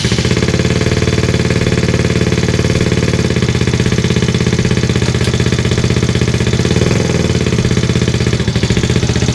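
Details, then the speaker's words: Benelli single-cylinder bike with 1500 miles, first start after 6-disc clutch kit and stiffer springs fitted and oil refilled: quick, steady idle thump about 2.5 beats a second, no rattling or slipping; clutch works. "so sounds like it works feels like it works nothing left to do now except for ride it on the street get it through the gears"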